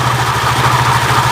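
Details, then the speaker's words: Honda Vario 125 after repair of a CVT knocking noise, fitted with a used Beat carburetor-model pulley: even, steady idle with smooth quick pulse and no rattle from the belt drive; normal idle. "Lihat, sekarang lebih lancar, kan, saudaraku? Lihat, bahkan dalam posisi ini, tidak ada suara berderak lagi."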